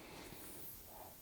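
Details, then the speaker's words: Nitrogen (OFN) leak test on a 20 hp AC install at about 1 PSI above atmospheric: a faint, steady hiss from a sub-millimetre pinhole in a brazed copper-to-copper joint. "see and that's making that noise with only like a PSI above atmospheric pressure."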